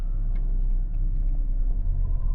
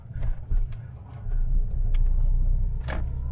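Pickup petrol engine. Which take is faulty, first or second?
first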